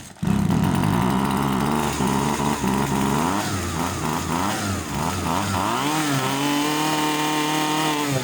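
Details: Husqvarna 136 chainsaw that would not start, with the fuel checked for water: it catches at once and revs up and down cleanly with a crisp, buzzing two-stroke note, then settles into a steady rev; normal running.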